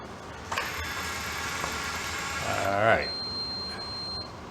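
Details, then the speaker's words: IBM 4400 thermal label printer, after ribbon rewind motor repair, uncalibrated during diagnostic checkerboard test: brief whir then one steady high beep about a second, gap not detected error; calibration issue remains. "get not detected that's not good"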